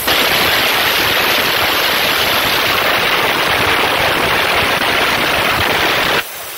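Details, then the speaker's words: New minisplit air conditioner install: the lines are purged by holding the service-port pivot pressed while opening the valve with a 5 mm Allen key. A strong, even hiss of escaping air holds about six seconds, then cuts off sharply, a normal line purge. "Como pueden ver, al abrir la llave sale el aire por donde tengo presionado hasta el tope."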